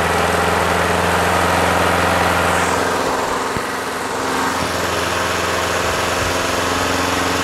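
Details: Craftsman push mower with Quantum engine after winter storage, primed and started. Steady, even drone at one speed with no surging, misses or rattles; running right at governed rpm.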